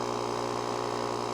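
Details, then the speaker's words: JOMGAND JQP3750 jump starter's built-in tire inflator set to 20 PSI, pumping a tire up from about 10 PSI; steady, even buzzing hum with a fast pumping pulse, no knocks, filling quickly, set to auto shut off at 20; normal compressor operation. "it is going pretty quick too for such a small compressor that is just a handy dandy little thing"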